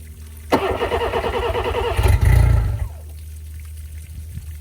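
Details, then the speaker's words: 2005 Johnson 60hp EFI outboard, newly fitted lower unit, water hooked up, after sitting unused for a while: sluggish, uneven starter grind with no firing. Weak battery; voltage fell from 12.1 to about 10.7 V after a few tries. "Well, unfortunately, I think it's the battery. Um, we haven't ran this thing in a while since it's been sitting here."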